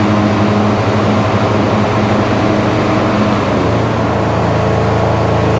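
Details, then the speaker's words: Husqvarna 26 hp lawn tractor, about 500 hours, 3300 rpm no-load top speed, deck unused for years and likely rusty/seized: steady high hum drops in pitch once electric PTO engages and never recovers; engine bogs under load. "but as soon as you engage that pto um it just does not get up you know to"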